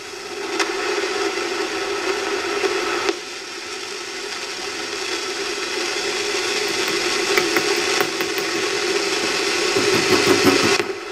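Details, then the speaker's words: Old Amperex EF86 preamp tube via octal socket adapter on a microphonic tester: harsh crackling hiss with scratchy clicks and ringing hum; very microphonic, in bad shape. "Obviously very microphonic. She's in bad shape."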